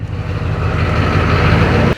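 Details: 2004 GMC 3500 Duramax diesel pickup, idling in gear while warming to check transmission fluid, not run too hot: steady, even low diesel rumble, no knocks, slips or whines before shutoff; idles normally.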